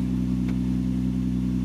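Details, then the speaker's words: 2004 Infiniti FX35 with hesitation, check engine light and P0507, idling at about 1500 rpm instead of 800–900: a steady, even hum held at a raised speed with no dip; high idle speed, cause not yet confirmed. "uhoh go for idle is too high let's take a look the idol am I going to do a idol relearn for this car"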